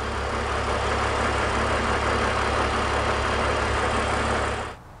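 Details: BMW E46 330i/325i inline-six at raised RPM during fuel-trim diagnosis with a deliberate vacuum leak, then reconnected: steady, even engine run with no hunting or stumble until shutoff; normal healthy idle as fuel trims return to normal.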